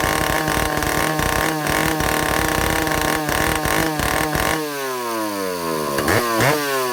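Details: Vintage Stihl chainsaw two-stroke, test run after fixing air leaks and fuel system, no bar and chain, carburetor high needle 3/4 to one turn out, target top speed no more than 10,000 rpm: crisp scream holds clean at high revs, winds down and blips back smoothly; running well.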